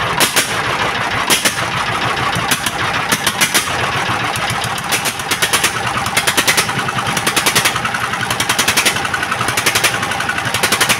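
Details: S1125 single-cylinder diesel after repair of heavy knock from running out of oil, oil indicator good: steady thump with crisp, even ticks and no heavy knock; normal running.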